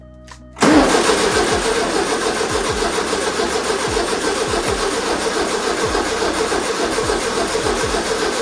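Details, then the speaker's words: 1973 Volkswagen Super Beetle (model 1303), sat outside about 15 years, battery in and fuel in carburetor: starter spins engine at a steady even pace, no firing; cranks but won't start; two fuses found missing afterwards, cause suspected. "Of course it didn't start. That would be too easy, right? I've heard that engine turning over for the first time in a long time."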